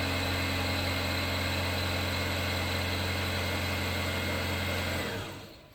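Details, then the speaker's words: 2013–2016 Dodge Dart on remote start idles evenly about five seconds, then winds down and stops. The check engine light disables remote start, and the cause is a faulty oil pressure switch. "okay so you see it shut off there okay so we come in here and it's going to say something like remote start disabled"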